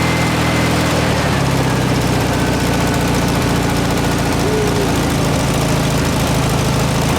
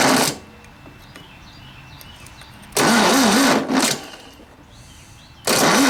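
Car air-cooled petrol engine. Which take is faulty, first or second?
second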